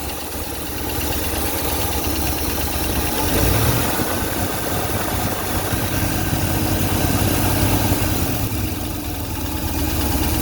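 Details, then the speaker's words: 1965 Ford Thunderbird V8 at idle during inspection: steady vibration-free idle with a faint quick light tick about three a second, only at idle, seemingly toward the front of the engine, cause unclear; some smoke at acceleration noted. "Ou alors tiens, on va écouter le moteur puisqu'il est en marche en passant. Il vibre pas. On entend un tout petit claquement."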